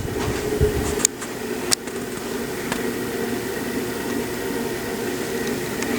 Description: This particular fan was very noisy; it was humming quite a bit whenever it ran, although it was not loud enough to render it unusable.